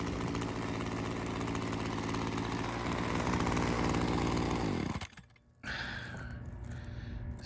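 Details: Ryobi CS 30 two-stroke trimmer after teardown with a new carburetor adjuster, test run: fast, fairly even buzz then cutting out, running lean from an air leak suspected at the homemade gasket.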